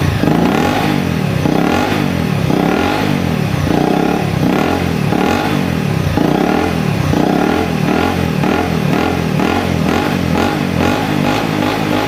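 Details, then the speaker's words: Honda CRF250L after replacing ECU-flagged faulty parts, still high erratic idle and blue smoke: revs surge and sag about every second over a steady clatter, never settling; hunting idle, cause unconfirmed; owner suspects piston ring or valve stem seal failure for the oil being sucked from the sump. "oh it's going off on its own that's how you uh that's how you read your ecu that's hunting all over the place now"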